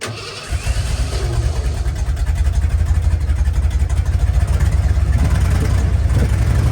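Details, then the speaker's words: 1988 Ford F150 XLT Lariat 2WD with the muffler cut off: a quick crank, then it catches and settles into a loud, deep, even rumble with a steady pulse. Normal start and idle. "Sounds like a real rig now."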